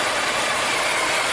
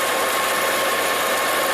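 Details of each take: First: 2010 Volvo XC90 3.2 inline-six idling rough with lean codes, about 35% short-term fuel trim and lean oxygen sensors; strong crankcase vacuum sucks the oil cap down, and a steady loud hiss is heard; an internal PCV-system vacuum leak is suspected. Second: Volvo XC90 with a PCV vacuum leak; a smooth, settled idle with no stumble, surge or ticking; a new PCV valve diaphragm would be the fix.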